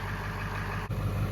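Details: 2001 Ford F250 Super Duty 7.3 Powerstroke diesel warming up on a 60-degree day: deep, steady clatter at low idle with an even beat, no misses or knocks; normal healthy idle.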